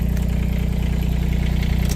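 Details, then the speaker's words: R319 machine after rain, stopped moving after making noise: diesel runs and idles evenly, but with hydraulics switched on there is no load or pump whine, only pressure release; pump coupler broke. "And as you can see, it doesn't do anything. It'll let pressure off, but that's all"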